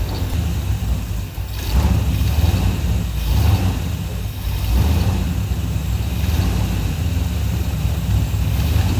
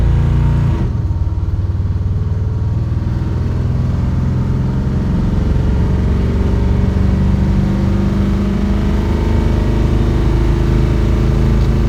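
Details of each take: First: 1984 Chevy Silverado with a slight miss, ignition timing advanced, backfiring on re-crank when warm: deep, lumpy idle that surges and sags every second or two; rough idle from incorrect ignition timing. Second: 1984 Chevy Silverado V8 after ignition timing adjustment for a slight miss, test drive in overdrive: deep even drone at highway speed with no stumble or surging; smooth cruise.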